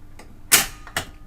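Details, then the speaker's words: Kriesler radiogram record changer under restoration, end of record: two sharp mechanical clunks half a second apart as the arm lifts, returns home and shuts off because the bar is down; normal auto-return cycle. "that should run, and it should lift and go home. There it goes, and it'll turn off because this bar is down."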